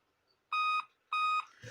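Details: Dell Inspiron P40F laptop at startup in a quiet room: long, clean high-pitched beeps about every 0.6 seconds, continuing after boot; five-beep BIOS code for CMOS battery failure; fix is CMOS battery replacement.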